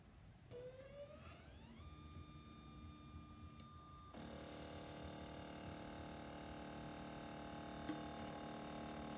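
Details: NEJE desktop laser engraver makes a grinding noise: a loud, harsh, buzzing grind over a steady motor whine.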